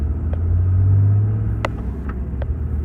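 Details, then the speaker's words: 2017 Cummins with G56 manual and Valair organic dual-disc clutch, after replacing ATF+4 with 7 quarts Mobil Delvac 50: deep even diesel drone under light load, gear rollover rattle nearly gone, almost silent; gearbox healthy. "yeah that's almost silent with that 50"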